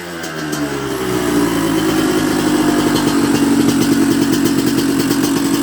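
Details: 1994 Honda CR125 two-stroke, after clearing dirt from the carb blocking the 58 pilot jet, which caused bogging and stalling; very cold night: crackly note revs cleanly and holds crisp steady, slightly less crisp at bottom, air screw to adjust; normal running.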